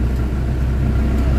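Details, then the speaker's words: Isuzu Crosswind diesel with weak acceleration, throttle delay and strong engine vibration: deep, uneven rumble with a lumpy, shaking pulse at idle; running rough, before treatment with XADO. "hindi normal yung andar ng makina"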